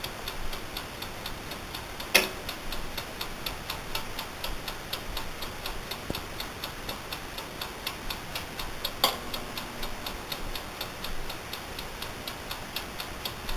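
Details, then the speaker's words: Amaco polymer clay craft oven, brand new, recorded up close while running: crisp even ticking about three a second is the mechanical timer, running normally. "And that ticking sound is actually the timer, so just so you"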